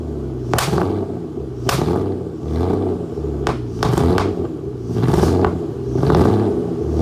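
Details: Aston Martin DB9 starting with lots of smoke: rough, surging idle with loud irregular pops and bangs about once a second over the rumble. Badly misfiring engine.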